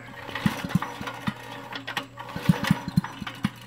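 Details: Briggs & Stratton engine on a Troy-Bilt Horse tiller, after a loud backfire-like pop and stall while tilling: pulling it over gives only light, uneven ticks and swishes with no compression thump; the valves were later found not sealing.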